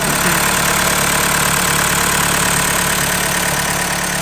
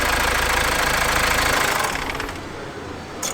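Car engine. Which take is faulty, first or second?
second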